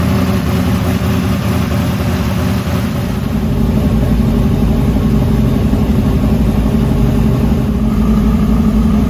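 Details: 1968 Camaro SS carbureted V8 warmed to about 170-180°F. After the blow-off-valve vacuum leak (previously lean, high-rpm idle) was fixed and the idle mixture screws were reset, it gives a loud, lumpy but even idle beat without stumbling. Normal idle.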